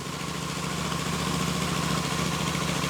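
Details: Royal Enfield Super Meteor 650 twin on the stand after a rear belt drive conversion, belt 1 mm from the flange. Even idle pulsing about three to four beats a second, no slap, squeal or clicking. Healthy belt drive; flange movement on rubber carriers is thought normal.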